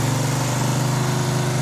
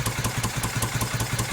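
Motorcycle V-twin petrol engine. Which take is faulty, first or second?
second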